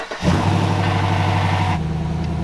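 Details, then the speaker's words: Jeep six-cylinder starting after straightening bent starter-wire connector pins: quick crank, catches straight away, settles into a smooth even idle with no misses or stumbling; normal start and idle. "it that's a that's a positive looks like we're in business this six this six out sounds awesome too the Jeep lives again the 6 OLS is doing awesome"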